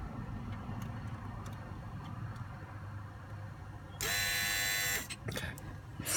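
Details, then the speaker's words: 2003 Volvo S60 2.5T AWD, engine running, heard in engine bay: loud harsh buzz about a second that cuts off abruptly, described as boiling-like; vibration felt in a hose the owner suspects is a coolant line, cause unconfirmed. "I can feel it in this hose right here. That's what I was saying. I felt this hose vibrate when it made that sound."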